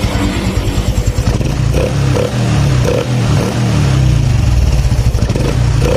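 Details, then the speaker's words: Honda Supra X 125 fuel-injected single after tune-up, air filter not yet fitted, cam chain tensioner now filled with oil: quick, even exhaust beat with no tapping; normal idle, chain quiet. "Kalau ini udah lembut lagi, si bagian sulingannya udah terisi penuh oleh oli. Lembut."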